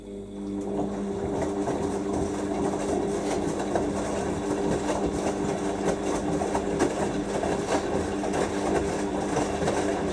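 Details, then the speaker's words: Siemens WH54080/07 Extraklasse XL 1000 washer on a 90°C cottons wash, spinning at about 800 rpm, first wash after a new pump was fitted: steady motor hum with uneven thuds and rattles. The load shifted, leaving the drum unbalanced. "it's p these see that thing an unbalanced Lo it's just shifted"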